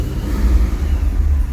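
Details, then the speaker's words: Corvette Z06, 6.3 stroker with A&A supercharger, after a fuel pump upgrade, untuned and running rich, in neutral: deep steady idle with no knocks or surging, great oil pressure; normal idle. "Great oil pressure. Everything is acting the way it should."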